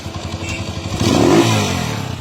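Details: Honda TMX motorcycle after repair with new gaskets, previously very noisy with worn cam follower: engine blips up and settles back with only exhaust note and no top-end or valve clatter.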